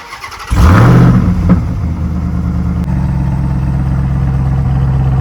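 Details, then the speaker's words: Stock Ram TRX, 702 hp supercharged Hellcat V8; cranks, catches and flares with a deep bark, then settles to a steady even idle; normal start and rev, healthy engine. "so as you guys can tell this is a bone stock TRX and it's sounding this good"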